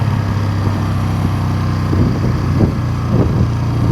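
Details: 1971 Honda CB350 twin on a ride, previously claimed to have low compression: strong, even exhaust beat that rises cleanly on throttle, sounding like healthy compression on both cylinders; rear brakes need adjustment and the chain may too.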